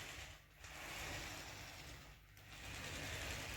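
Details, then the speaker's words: Traxxas TRX4 crawler drivetrain rolled back and forth by hand with the motor removed: a soft, even gear whir with no clicking, only faint spur gear slap. "is it in here nice and quiet the only movement or the only little bit slapping is the spur going around"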